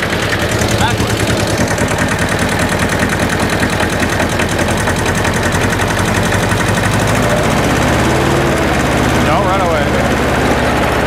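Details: Hinomoto E230 diesel tractor, revived after sitting for years: steady, even diesel clatter with a firm low thump, idling smoothly and healthily.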